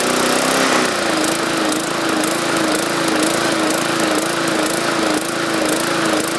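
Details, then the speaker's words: 2014 MTD 20-inch push mower, 300E engine, main jet drilled out to 0.6 mm; mid-pitched drone wavering about twice a second, rhythmic hunting surge; owner suspects too much fuel from the enlarged jet, unconfirmed. "I think this thing is um pushing too much gas we're getting that surging I try to increase the RPMs to compensate for the extra fuel that didn't seem to work"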